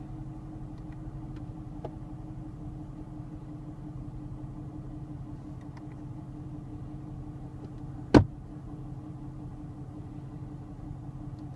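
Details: 2017 Camaro at idle with blower running: a single sharp pop cuts through the steady hum as the HVAC recirculation actuator engages.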